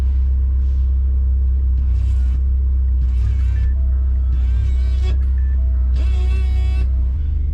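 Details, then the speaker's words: 2005 PT Cruiser GT convertible top hydraulic pump motor, heard from behind, bumped after topping up fluid during lift cylinder replacement for a top that wouldn't lower; steady deep even electric hum, normal pump operation. "I'm just kind of bumping it and you can hear it running back here"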